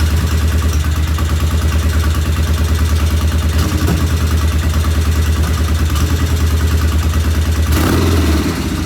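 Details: 1975 Norton motorcycle twin, first start after tickling both carbs, compression read 40 psi: steady idle thump with a light ticking on each beat; one loud valve tappet, to be checked once cool.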